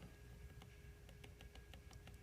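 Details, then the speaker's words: Reach 3D printer during assembly, carriage moved back and forth on gantry: faint irregular light ticks from play on one side, likely from final tightening rotating it down; that side needs retightening until there is no play and movement is smooth. "That's not good. This side needs rettightened. So, it's probably that final little tightening that rotated it down a little bit."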